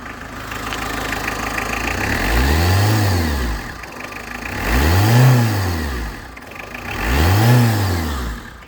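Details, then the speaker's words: Engine revved three times, humming whistle-like whine rising and falling with rpm from V-belt tensioner/idler bearings at alternator and pump drive; bearing had broken apart, noise gone after replacement. "Bu şekilde bir istemediğimiz ses geliyor Ama dediğim gibi arkadaşlar Bu arkadaşlar O gelen ses bu romanlardan geliyor"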